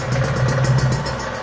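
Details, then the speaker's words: Kawasaki Ninja two-stroke engine after rebuild and head reinstallation; steady even idle with light rattle, no knocks or misses; smooth and healthy, a whine from primary/secondary gears deemed harmless. "Coba dihidupkan gimana suaranya Awas kita coba Bismillahirrahmanirrahim halus banget mantap"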